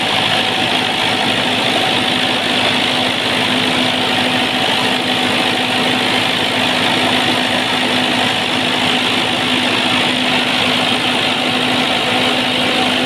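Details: Perkins diesel genset after a hard-start problem (relay suspected): settles into an even, steady idle with a constant hum and no misses or surging; running normally.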